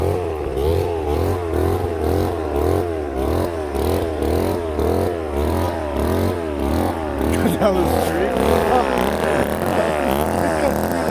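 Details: Old Ohlsson & Rice chainsaw, sat 20+ years, after blowing out a plugged fuel tank air vent restored fuel: fires and keeps running, revs surging up and down in rough pulses; getting fuel and running normally.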